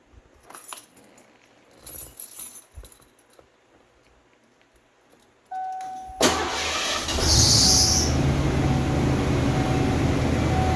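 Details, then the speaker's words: 1980s Lincoln Town Car/Mark VI after automatic temperature control sensor replacement, engine start: catches and gives a short sharp squeal over idle; owner thinks a drive belt needs tightening. "like one of the belts needs tightening."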